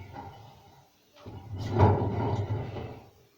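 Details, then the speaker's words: Washing machine drum turned by hand: rough grating rumble, something rubbing inside, indicating worn drum bearings located behind the drum. "this one you hear that is wrapping against something inside so another thing is to check here because the bearings are located behind part of the washing machine"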